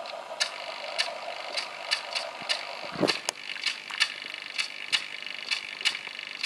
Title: really loud chatter